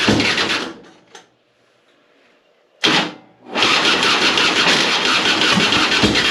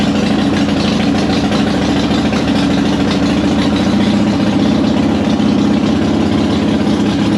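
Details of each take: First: 2005 Harley-Davidson Softail Heritage Deluxe, choke out, battery replaced last year, hard starting. Sluggish, labored cranking at about three turns a second with a pause before catching. Owner suspected the starter, but the cause was corroded battery cables, fixed by wire-brushing both. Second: 2005 Harley-Davidson Softail Heritage Deluxe, choke out, after wire-brushing the corroded positive and negative battery cables that caused slow cranking (not the starter). The loping V-twin idle holds steady and even, with no misfires, clatter or stumbles.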